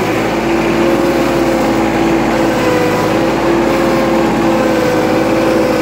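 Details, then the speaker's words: 2011 John Deere 4110 tractor with about 298 hours, started cold at about 50 degrees, hydrostatic transmission in forward: a steady mid-pitched whine with a higher second tone. This is normal with cold fluid; the filter change is nearly due. "like I said before there's nothing to worry about that's normal with all hydrostatic transmissions when the fluids cold"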